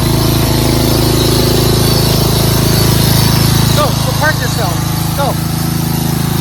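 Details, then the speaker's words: Craftsman 13.5HP 30-inch rear-engine riding mower, safety switches bypassed: single-cylinder engine thumping steadily at a fast idle with a faint buzzing rattle over it. A loose clip is vibrating and still rattles despite tape. "That annoying noise is this clip over here. Put some tape on it, but it still makes some vibrating noise."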